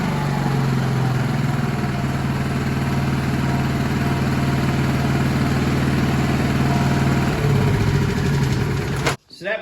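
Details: Honda EM6500SX generator after new carburetor and battery installed (old carburetor bad from stale gas), breaker off, no load, warming up: steady, even high-speed drone with firm low hum, no misses or knocks; normal running.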